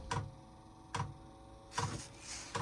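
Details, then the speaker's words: Chinese diesel heater running on kerosene in a cold workshop (1.7°C inside), at startup: soft, steady ticks under a second apart as the dosing pump normally pulls the heating oil through. "oh yeah I have cuz I I've seen that on the internet making that noise so it's obviously sucking the heating oil through now"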